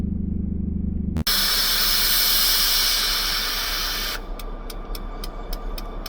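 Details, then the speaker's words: ELS 400 locomotive tied down on a wye, crew adding water, about 20 minutes: loud three-second air rush every 30 seconds, then faint ticking; cause unknown; 400 turned out not running. "Been sitting here now for about 20 minutes or so like this. Every 30 seconds that sound. What is it?"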